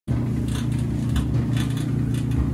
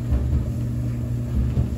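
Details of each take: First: Kenmore 800 clothes dryer running: low steady hum with a rough, fluttering rattle from the failing blower fan, fixed by replacing the blower fan. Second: Kenmore 800 clothes dryer after blower fan replacement: steady low smooth rumble, the previous rattling from the blower fan is gone.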